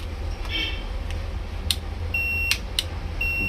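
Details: Kids' electric bike with two 6 V batteries checked OK: two short, high, clean beeps as the brake pedal is pressed, so the brake pedal switch is responding properly.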